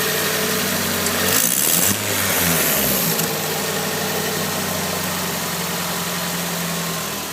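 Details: Nissan SR20DET turbo four idling with a fast, uneven ticking over the exhaust note; owner suspects an exhaust leak where the T28 turbo flange bolts to the manifold.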